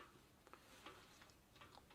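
Light, scattered dry ticks as the hub spins freely by hand, with no grinding or rubbing; the rebuilt coaster hub sounds healthy.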